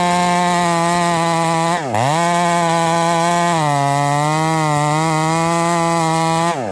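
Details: Ported Husqvarna 371 XP chainsaw with new ignition coil, cutting under load: steady high engine note sags and recovers twice, pitch wavering; saw breaking up under load, carburetor issue suspected, not confirmed.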